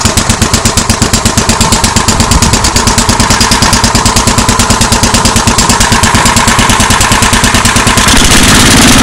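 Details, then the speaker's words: MTD 8 hp 26-inch two-stage snow blower with Tecumseh engine, carburetor just refitted, idling with a rapid even putter of about three beats a second that thins out as the bottom mixture screw is turned in until it stalls: lean idle. "What I was doing there while it was idling, I was turning this in. Let me move this down a little bit. I was turning this adjustment screw on the bottom in until it shut off."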